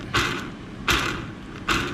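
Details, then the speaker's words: Losi 5ive-T 2.0 rear differential after adding a thin spacer behind the bearing to fix gear mesh grinding: three short clean whirs, no grinding; gears mesh properly. "of course it's gonna make noise but not that grinding noise where like it seems like something is not matching or the mesh between this gear and the other one it's like it seems like to be like not matching at all"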